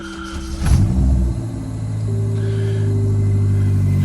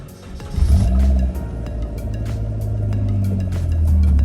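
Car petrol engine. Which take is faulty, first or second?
second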